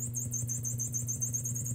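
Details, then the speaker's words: 1974 Fender Super Reverb with new preamp tubes and a cap job still needed: a sharp chirp tick about seven times a second over mains hum, only in the vibrato channel. It follows vibrato speed, not intensity; cause unknown. "but the issue i'm concerned about is in the vibrato channel there's that it it's almost like the ticking that's a very common problem"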